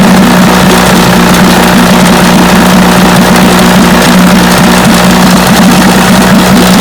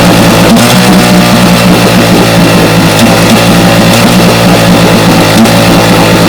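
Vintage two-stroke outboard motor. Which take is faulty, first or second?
second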